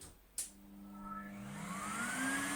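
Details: Skip-found, very worn Numatic Henry HVR200 vacuum that had failed a PAT test, run on a makeshift plug with the lid refitted; click, smoothly rising whine, even hum, motor runs normally but with no suction.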